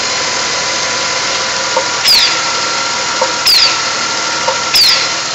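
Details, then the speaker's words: 1998 Dodge Grand Caravan 3.3L V6 at idle, heard with the breather removed: a sharp little click roughly every second and a half, unevenly spaced, from inside the engine; owner suspects an internal valve, cause unconfirmed. Engine also has a bad oil leak. "I notice right by the breather and take it off. Inside the engine makes a little sound. And if anybody could tell me what it is, I'd appreciate it."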